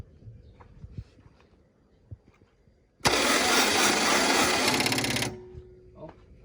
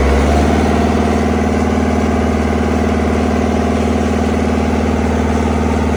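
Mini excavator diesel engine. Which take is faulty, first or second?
first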